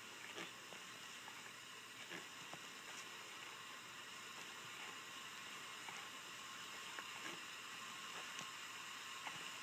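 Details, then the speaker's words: Acura Integra B18B1 leak-down test (OTC 5609), engine off, cylinder four at top dead center; steady air hiss with faint ticks, some leakage past the exhaust valve, though the best cylinder tested. "well so far this is definitely the best cylinder out of all of them we've tested so far there is still some leakage and again exhaust valve"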